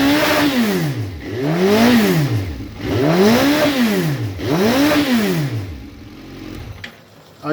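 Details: Suzuki Bandit with inline fuel pressure gauge and high-flow pump, fuel starvation test: engine revs up and down about every 1.5 s, pulling cleanly without stumble; pressure never dipped, normal fuel delivery.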